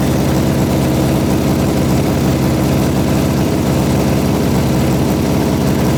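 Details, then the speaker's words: 1972 Honda CB350F four-cylinder, sat 20+ years, big-bored to 400cc, just rebuilt: steady low idle with uneven lumpy beat and roughness, a little smoke; rough idle, owner suspects plug wires wrong, not confirmed. "Kind of sounds like it's out. Like maybe we got the The plug wire's wrong."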